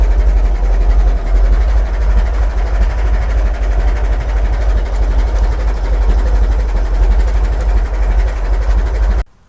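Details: Restored 1921 American LaFrance fire engine after its finished restoration: deep, even low chugging at a slow steady idle with no knocks or misses, then a clean shut-off; it is running normally.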